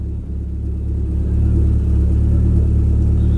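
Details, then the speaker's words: YB Cosworth turbo-powered Mk1 Ford Escort idling at 1,000 rpm after fuel leak repair, first start in 5 weeks, oil not yet warm, plenty of oil pressure, no boost, constant fuel pressure; deep smooth rumble, no misses or knocks, normal idle. "ticking over at 1,000 revs. There's no temp in the oil yet, but we got plenty of oil pressure. Not making any boost. It's just idling."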